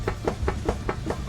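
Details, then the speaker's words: Car on jack stands, wheel rocked in and out at the top: sharp even clunks about five per second from a worn upper ball joint with a lot of play; both sides' upper ball joints bad. "so that's what it looks like it's a lot of play in there i don't know if y'all can see but if i wrap the wheel like this let's go in and out some should be pushing the top of the wheel and it's going in and out"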